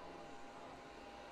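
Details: Oscillating 1500W ceramic portable space heater on fan mode: quiet, steady airy whoosh with a faint constant hum, no rattles or ticking; fan running normally.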